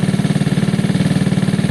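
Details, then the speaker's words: Gilera DNA 125cc scooter on first start-up with newer metal-slide carb fitted, airbox connector missing: small single idles with quick, even putter, steady with no misses; sounds healthy but doesn't like revving yet; normal idle. "You can hear it sounds very healthy. Obviously it doesn't like revving at the moment, but"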